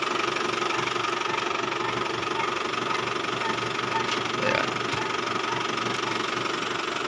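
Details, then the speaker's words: Isuzu Travis diesel: a thin, steady whine rides over the quiet idle, and the steering is noisy when turning for a long time. A new belt was fitted before but the noise remained. "Ang problema ng kaniyang unit pagka lumiliko mga boss 'yung kanyang manibela, nag-iingay. So matagal niya na rin daw pinagtiyagaan."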